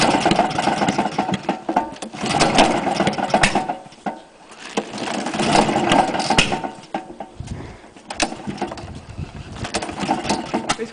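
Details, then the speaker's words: Honda lawn mower, run on white spirit and ether with cam chain timing two teeth out and crank bearing completely gone; surges unevenly with a loose rapid rattling knock about four beats a second from the failed crank bearing. "just like to point out the timing is too teeth out on the timeing chain crank baring is completely gone hence the knocking"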